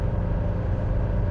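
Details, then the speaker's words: 1983 Mercedes-Benz 240D diesel, four-speed manual, warm, steady highway cruise at 65 mph around an estimated 3,000 rpm (no tachometer), heard from the cabin with windows down: smooth, even low hum with no knocks or misses; running healthy. "Probably hear it. It's just humming along."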